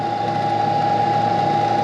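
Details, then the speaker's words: Cheap used CNC knee mill, first power-up, spindle in high range: smooth, steady mid-pitched hum with an even tone and no knocks or grinding, sounding really good before switching to low range. "ça sonne toujours claquant en haut wow, ce truc sonne vraiment bien, éteignons-le et passons à la gamme basse"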